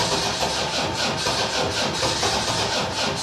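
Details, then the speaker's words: Land Rover Defender 300 TDI diesel, lower-mileage swapped engine with new timing gear and belt: after pumping up more fuel it catches and settles into a fast, busy, clattery, even run; engine started. "Give it a pump, see if anything happens. If not, I'm going to have to put a battery pack on it. There she goes."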